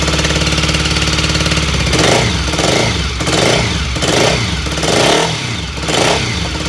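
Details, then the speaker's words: BSA Fury SS (E35SS) twin after build, carb tuning shakedown, air filter removed, started without tickling: idles then throttle blips about once a second, revs climb sluggishly and drop back; slow pick-up suspected from left cylinder/top pipe, possibly carb slide. "okay fuel off that was better didn't require any tickling for uh to start it up but um it is still a bit slow picking up and it's definitely the right hand cylinder"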